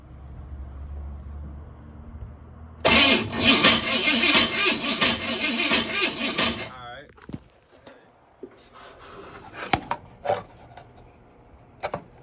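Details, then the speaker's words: 1979 Buick Regal after tune-up with new spark plugs and plug wires; engine catches and runs about four seconds with lumpy, surging, uneven beat then quits, followed by a backfire; owner plans to rewire the plug wires. "uh I started it it didn't run right but you know I"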